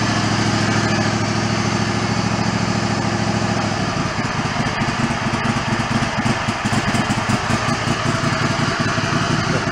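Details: Mid-90s Toro Wheel Horse riding mower, choke off, fuel shutoff solenoid now powered via the fuse: steady engine holding its speed with a plain even beat; keeps running.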